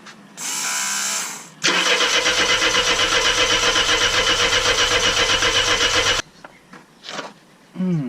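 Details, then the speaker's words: Mercedes W123 petrol, not starting after long cranking, fuel leaks and low fuel: steady fast cranking about four beats a second, no catch; the cranking sound has changed, engine not firing, cause unknown. "now I've been cranking us for a while and it sounds different now listen to this Oh"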